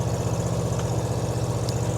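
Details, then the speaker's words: 1960 Cadillac S&S Ecto-1 replica, V8 with exhaust modified to match the film, riding through a neighborhood: deep, even burble with a steady low pulse, no knocks or misses; normal running. "Now, just like the one in the movie, we've modified the exhaust so it sounds just like the one in the film. It had that nice grumbly V8 sound."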